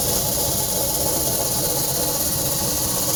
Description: Home warranty contractor came out and took $60 to look at our ac. Said it was the motor and that he would place an order for a new one that evening.